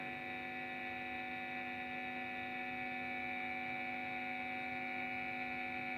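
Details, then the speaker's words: Cheap guitar-effects power adapter, about 9.17 V output, connected to an effect: steady buzzing hum with bright overtones and no rhythm, noise leaking through from the adapter; pressing on it lessens the noise. "Itu mengeluarkan suara, lho. Bunyinya mendengung."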